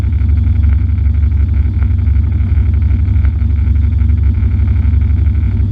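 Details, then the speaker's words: V8 drag car at the strip after lifter replacement: loud pulling drone that turns choppy as power repeatedly cuts out at high rpm (around 6500–6800); the upper-rpm cut-out is not fixed. "i used it to see if the if the car was going to cut out at the higher rpms like it's been doing and it did as you'll hear over and over in this video"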